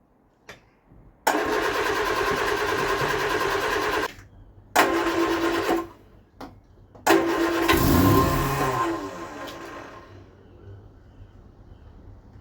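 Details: Vauxhall Viva HC, carburetor rebuilt: three bursts of even starter cranking that never catch; no-start.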